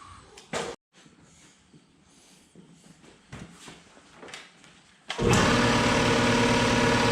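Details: 60-gallon Black Diamond compressor, year-and-a-half-old factory pump that hammered replaced with Harbor Freight pump, 30-weight compressor oil added: steady even chug about four strokes a second, no knocking, much quieter than old pump.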